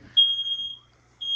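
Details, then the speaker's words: Smoke alarm with brand new batteries set off by cooking, no smoke visible: loud piercing half-second beep repeating after brief pauses; alarm sounding normally. "There's no fire going. There's not even smoke. Oh, you're cooking, that's why."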